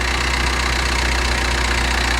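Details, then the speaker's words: Turbo diesel at an auction yard, claimed 300,000 km but engine bay looks nearly new. Even diesel clatter at a steady idle with no missing or irregular knocks; the engine sounds healthy. "um yeah so this engine bay does not look like 300 000 K's like yeah this can all be clean this can all be cleaned"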